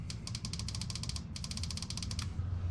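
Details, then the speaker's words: Fuel injector on a non-firing engine that runs on starting fluid, unplugged and pulsed directly with a test pigtail from positive and negative: rapid, crisp clicking in two bursts, showing the injector is working. "All you do is unplug your injector, plug in your little harness, and give it, touch it positive, negative. You can hear it clicking."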